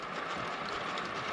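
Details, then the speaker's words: Traxxas X-MAXX 8S RC truck on the bench, drivetrain turned by hand while diagnosing repeated stripped pinions and spurs: smooth steady whir with light gear whine, no catching or grinding; spins freely with no binding, which the owner judges sounds alright. "So to me that sounds alright, but I don't have another X-MAXX to compare it to, so it's just what I can remember the sound of this car used to be like. So that's the drivetrain. There is no kind of binding in there."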